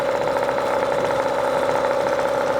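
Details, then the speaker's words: Hangkai 18 hp two-stroke outboard, brand new, first backyard start just after firing up, not yet hot: even, steady buzzing idle with constant mid-pitched note, no misses or knocks; checking for oil, fuel or water leaks; normal idle. "I just want to check for any kind of leaks, oil leaks, fuel leaks. water leaks, anything. It sounds pretty good."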